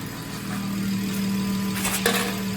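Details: 2016/2017 BMW 340i idling after a VRSF charge pipe replaced the plastic OEM pipe; steady, even idle with a smooth low hum and faint constant whistle, no hiss or puffing from a boost leak, normal idle.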